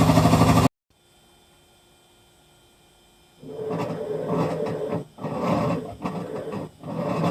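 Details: Hitachi Beat Wash Slim washing machine, as the drum starts turning: an uneven, loose rattling clatter in surges about three per second; owner wonders if it is nearing end of life; cause unknown.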